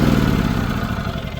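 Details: Lincoln Bulldog 5500 welder small single-cylinder engine after carburetor cleaning and new power switch: steady mid-speed chugging, even and unbroken, running fine.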